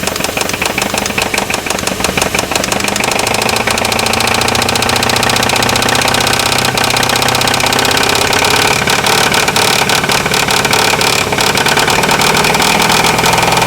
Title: 4.7 Engine knock